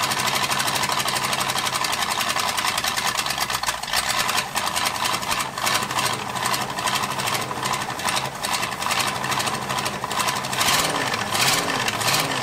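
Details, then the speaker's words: 1978 Ford F150 flooded engine after coil wire fix, mechanical fuel pump draining old gas into a bucket: ragged bursts with sharp cracks, catches only on accelerator pump shot then dies; owner suspects a faulty carburetor venturi assembly; exhaust crossover port open, very loud. "so here's what I'm seeing we we only run up the accelerator pump so this is all too familiar of the f250 which means the yeah the venturi assembly is jump"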